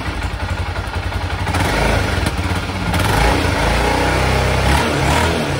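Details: 1996 BMW F650 Funduro single after carburettor rebuild: picks up cleanly through blips to higher revs with deep steady thump, no stumble or cut-out; before it cut out when given gas at higher revs.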